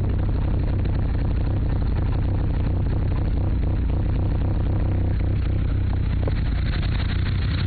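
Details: Mitsubishi Evo III: idle lopes unevenly with an irregular low thump about every quarter second; rough stumbling idle, owner suspects bent valves, unconfirmed.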